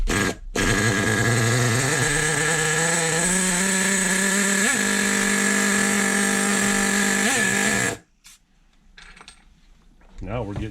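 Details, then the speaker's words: 2002 Team Associated NTC3 nitro RC touring car, first start after full rebuild: high steady buzzing run with a couple of quick throttle blips, then cut; runs cleanly. "fuel in it guys let's back this idle off a little bit do it again nice listen to that idle boys fat we got it fat we got it fat"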